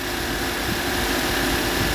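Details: Subaru Outback XT after oil cooler gasket replacement (torqued 28.5 ft-lb) to fix oil leak: steady, even idle with smooth hum and faint hiss, no ticking, knocking or misfire; no oil seeping.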